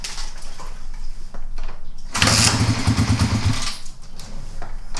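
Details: Kawasaki KLR250 dual-sport, cold, very hard starting for a year, testing with choke on and no throttle: catches and pops unevenly about 1.5 seconds then dies; a choke, fuel or starting fault suspected.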